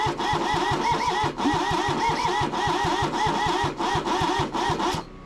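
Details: Kubota B6100 tractor, three-cylinder diesel, long non-running, block warm: steady rhythmic cranking at about three or four compression strokes a second that never fires; owner suspects stuck rings and low compression.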